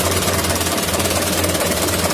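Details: 2011 Mitsubishi Canter Super Speed diesel truck, rough engine, knock when switched off, heavy throttle and weak power: harsh rapid knocking clatter through a lumpy idle; injection pump checked, cracked injection pump timer.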